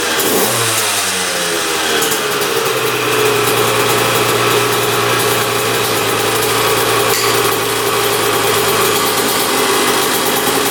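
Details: 2001 Honda CR125 two-stroke dirt bike, started after fix-up, choked: crisp blips then steady raspy high idle without stumbling; running pretty darn good, normal.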